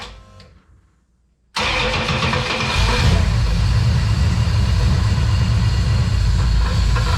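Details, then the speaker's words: Aspen V8 just converted to EFI cranks and catches, then runs rough with a fast regular rattle about four per second; detonation from hot ignition timing, oil filter cut open showed no metal shavings, only gasket material. "fortunately after cutting open the oil filter and digging through it we regain Faith then turn our heads to the real problem detonation and hot timing"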